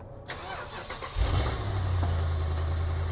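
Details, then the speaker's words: 2009 BMW E70 X5 with 4.8L N62B48 V8, cold start (seller previously pre-warmed it): short crank, catches in about a second, settles into smooth even burble; squeak heard afterward. "Sounds good, the Burbly V8."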